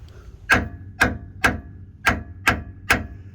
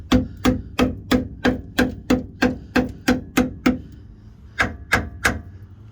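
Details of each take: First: Jeep LJ frame rail hammer test: six sharp taps ringing with a clear metallic ping, meaning solid metal; a dull sound like pounding sand would mean rotted metal. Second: Jeep LJ frame rail hammer test: steady taps where solid metal rings sharply, while the rusted section answers with a dull thud like pounding sand, meaning the metal is rotted and must be cut out.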